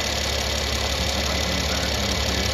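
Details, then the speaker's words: 2015 Mercedes GL450, engine running, no faults stored: fast light metallic rattle from loose turbo wastegate flapper with worn pivot in turbo housing, also causing low boost. "working on a 2015 GL 450 Mercedes customer's complaint is a rattle there's no Faults stored but um I've seen this several times on these the wastegate pivots you get loose in their turbo housing"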